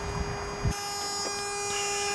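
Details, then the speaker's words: Toyota T100 pickup, 3.0 engine, 2WD 5-speed manual: a steady, unbroken mid-pitched warning buzzer drones on without pausing, with no clear cause and hard to reach. "There's this buzzer issue that is extremely hard to get to. Ugh, fucking hate it. It's one of the most annoying sounds."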